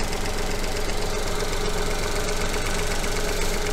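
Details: Engine idling at normal baseline on a coil-on-plug ignition engine before any fault is introduced: loud steady idle with an even fast pulse, no misses or knocks, all cylinders sounding alike.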